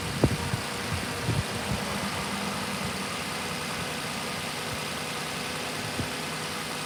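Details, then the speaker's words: Lexus RX 330 idling steadily with a smooth low hum, no knocking or ticking, after replacing upper and lower intake manifold gaskets, both knock sensors and the knock sensor harness; engine sounds good, no coolant leaks: normal idle. "Motor sounds good. And we don't got no leaks. Good stuff."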